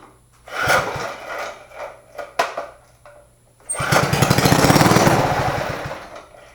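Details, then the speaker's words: Tru Test reel mower small engine, first run after 20 years sitting, gas poured into carb, pull start: a few coughs and failed catches, then it fires and chugs a couple of seconds before stalling; runs briefly then stalls. "Well, it's not going to run again, but as we can see, it does run, which is a good sign."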